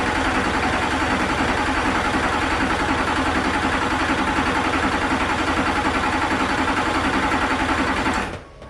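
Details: Duramax diesel race truck, first start with the engine back together and EGR installed: steady, even idle with a regular clatter about three beats a second, then shuts off; runs fine, normal diesel idle.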